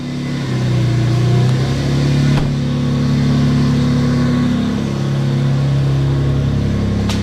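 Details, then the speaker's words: Infiniti G35X exhaust after repairing multiple exhaust leaks, cold day: revs climb and settle with a smooth, even, tight note, no puffing or ticking; now sounds like a normal car, healthy exhaust. "let's see how this exhaust sounds sounds so much better awesome actually sounds like a normal car now"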